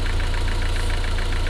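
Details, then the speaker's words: Rebuilt Rover K-series engine in an MG TF VVC during a health check: low, even idle with a light regular tick and no misses or knocks; fuel pressure a healthy 2.2 bar running. "and with the engine running the pressure is a very healthy 2.2 bar"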